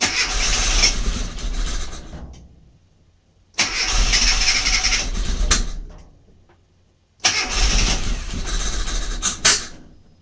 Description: Here's my mini MPI that won't fire up.